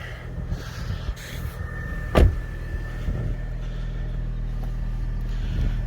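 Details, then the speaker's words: 2010 Fiat 500 Pop salvage-auction car, stop-start turned off, three-quarters tank of fuel: low even idle rumble, no ticking, puffing or exhaust rattle, one door clunk; normal idle, no exhaust problems. "no problems from the exhaust"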